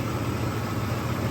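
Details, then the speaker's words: 2003 Nissan Xterra 4x4 idling after fuel injector work to fix a misfire: steady even low hum, no skipped beats, hood now perfectly still where before it shook; normal idle after repair. "The engine is not moving in and it's in the engine bay."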